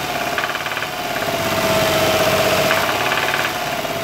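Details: 2001 Toyota Sienna at idle: light, somewhat uneven knock about three or four times a second; by disabling cylinders to separate upper from lower engine noise, it appears to come from the bottom end, rod knock suspected.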